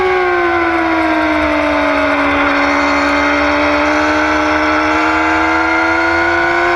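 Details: 2009 Yamaha R6: strong steady high-pitched whine sags slightly then climbs back over faint low engine hum; owner asks if normal, source unclear.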